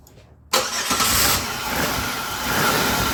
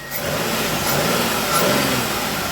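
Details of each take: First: Engine with aftermarket Dorman mass airflow sensor, runs while accelerator is held, then sags, chokes and wants to stall as throttle eases; MAF signal reading stuck high. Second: Engine with a start-stall problem (cranked, started and died without throttle) after repair: catches on the first hit and runs steady and even with no misses or stumbles.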